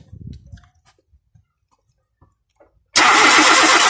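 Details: 2001 Nissan Almera not starting: after quiet clicks, the starter spins the engine steadily but it never catches; coil packs have power, no fuel delivered, fuel pump relay suspected.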